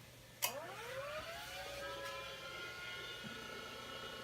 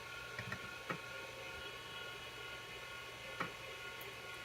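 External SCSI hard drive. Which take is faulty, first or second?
first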